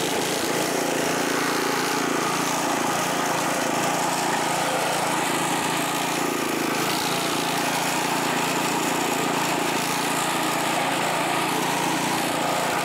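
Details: California Trimmer mower, small engine, mowing dead grass after repair and carburetor fine-tuned an eighth to a quarter turn to stop surging; steady even buzz, no hunting or surging; running clean and healthy under load.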